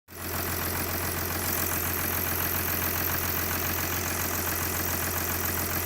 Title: OM642 R320 CDI 3.0 V6 diesel cold engine ticking knocking noise